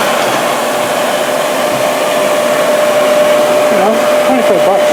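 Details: Used 1998 Workforce 8-inch bench grinder, 120 V 5 A, with brush and stone wheels: steady, even mid-pitched motor hum, no wobble or scraping; spins up and runs smoothly, normal running.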